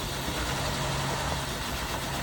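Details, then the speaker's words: Healthy engine idles with a steady, even low rumble, no knocks, ticks or misses, after firing right up on a jump box at a tow-yard auction walkthrough; a little smoke from the exhaust. "now I come back forward all right sounds pretty good on this one folks"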